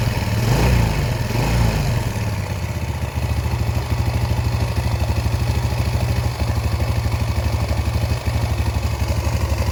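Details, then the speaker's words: Yamaha Vega R after valve lapping and ring cleaning for loss of compression that caused stalling and no-start: quick blips then steady even single-cylinder idle without misses or clatter; running healthy again. "Sudah kita bersihkan semua dan alhamdulillah ini sudah menyala kembali motornya"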